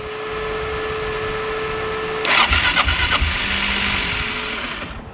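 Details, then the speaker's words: Rare Gas Gas Wild HP 450 quad that has not run in an unknown time, cranking: a thin high whir spins freely, then a ragged burst of firing fails to catch. Owner suspects the starter clutch is slipping. "This is really not smart. I'm amazed that it actually turns over. That sounds like starter clutch."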